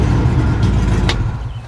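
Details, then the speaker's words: Old truck started without a jump pack, with good oil pressure and the battery charging: deep, steady rumble that holds smooth and even before easing off, no misses or knocks; running healthy. "Good old pressure. Battery's charging like it's supposed to. She's happy."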